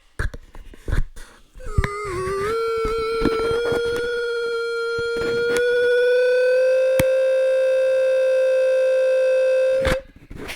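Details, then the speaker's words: JBL TUNE660NC headphones, worn with noise cancelling on, after replacing ANC electret condenser mics with a first-choice part: loud steady squeal near 500 Hz with ringing overtones creeping higher; feedback as new mics are too sensitive near an object. "Yeah, so those microphones, they're just they're a bit too sensitive when they're close to an object. It just creates too much feedback."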